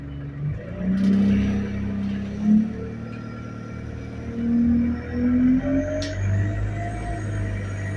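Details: Onboard an ADL Enviro200 bus (Go-Ahead London Central, route B16) while moving: steady droning whine wavering near one pitch over road rumble; source of the whine undetermined.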